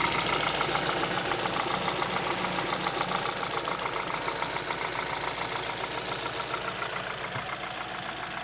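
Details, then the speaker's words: 2011 Hyundai Solaris G4FC, 166,000 km, new chain, tensioner and phaser, idling about 900 rpm at 58 °C: quick even ticking knock about 3.5 per second from up top, appearing with warm-up; suspected piston slap or valves; engine top-end knock. "начал появляться стук сейчас вот он появляется стук с прогревом становится отчётливый"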